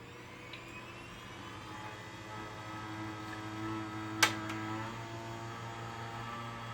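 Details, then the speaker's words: Gateway G6-350 case with newer motherboard, after reseating RAM: fans whir up and settle, one soft click, no beeps; clean boot, earlier failure blamed on bad or poorly seated RAM. "yeah it does work just some bad Ram or poorly seated Ram I should [Music] say"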